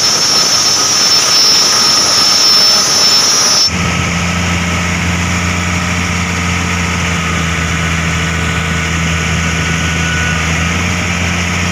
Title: Abnormal sound coming form ac fan belt